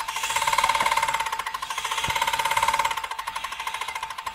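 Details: Tacx Booster trainer brake making a rhythmic metallic ringing, about three or four pulses a second with a steely high tone; the disc inside seems wobbly and may be rubbing.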